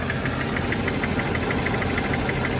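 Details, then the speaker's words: Mercedes E420 V8 at cold start, not yet warmed up, after throttle body rebuild: light, quick, even tick pacing with the idle, heard above the valve cover on one side, less than before; source unconfirmed, lifter suspected. "Alright, tick is definitely still there. Not as bad as the first time, but still there for sure."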